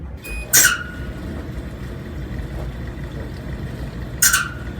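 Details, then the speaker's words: Amana gas clothes dryer on pedestal before repair: short, sharp squeaks about every three to four seconds over a quiet tumble, suspected from the dry idler/tensioner pulley; idler pulley squeak. "i heard a little bit of a squeak there in it so we'll get this thing i'm gonna have to pull it off of that pedestal stand that it's on down here"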